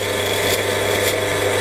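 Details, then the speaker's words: Izzo Alex PID 2023 heat-exchanger espresso machine, left idle 33 minutes, during the cooling flush at the group: harsh hissing sputter with spitting steam over the pump hum; flash boiling from the overheated heat exchanger (boiler held at 123°C). "Mulai dengar suaranya boiling. Kayak air mendidih ya."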